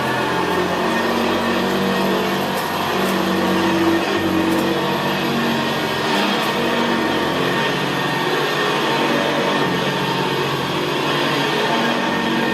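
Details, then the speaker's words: 1975 Hoover Senior Ranger U4002 vintage upright vacuum cleaner in use on carpet; steady, even motor drone with a gravelly growl from the brush roll, described as very quiet and growling; running normally. "well isn't that absolutely beautiful machine to use it's just very very quiet and in very very growl very growling"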